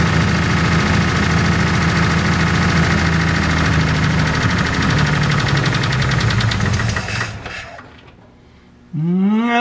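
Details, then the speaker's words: 1949 Pontiac flathead eight, previously seized and freed, first runs after sitting abandoned with the exhaust all bad; fast, even ticking over a lumpy idle before shutoff; sounds like noisy or stuck lifters, not a knock. "it's got a bit of a noisy lifter but that's just to be expected"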